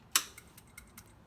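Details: Yamaha Star 650 motorcycle, tank removed, fuel system test at key-on: a sharp relay click followed by light, evenly spaced fuel pump ticks about every fifth of a second, normal pump and relay operation.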